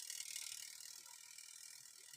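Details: Twin-tub washing machine spin-dryer timer turned by hand during multimeter check: quick, fine, even ticking clicks; winding mechanism works, sound indicates the timer still functions.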